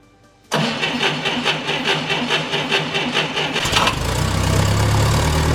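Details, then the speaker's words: 1990 Ford Thunderbird Super Coupe that sat in a barn about four years and had very low cranking speed on a bad battery: with a good battery fitted, brisk even cranking catches after about three seconds and settles into a steady run. "okay we're up and running success we've uh figured out what was wrong"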